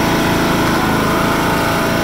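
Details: 1996 John Deere LX176 lawn tractor with Kawasaki engine, first start in several years on old gas, PTO engaged: small engine pulls a steady, even buzz with the deck running, no surging, sputtering or bogging; runs normally.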